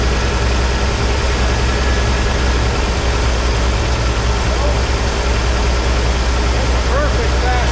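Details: 1983 Ford F150 300 inline-six after the Carter YFA one-barrel carb fix, choke off, idle dropped slightly but maybe still fast for a manual: steady, even low rumble with barely any stumble. Normal idle.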